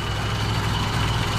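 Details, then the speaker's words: Mitsubishi Lancer 4G13 carbureted engine after tuning (vacuum connections corrected, vacuum leaks sealed, carburetor tuned, distributor timed); earlier it seemed to misfire with exhaust noise: now steady, even low idle with no stumble or shaking; normal idle. "Kaso kanina pansin nyo nga, medyo parang misfiring yung andar at saka parang itutunog ng tambutsa, pero ngayon okay na. Kahit babaan mo pa ng idle yan at saka hindi na siya mangatal."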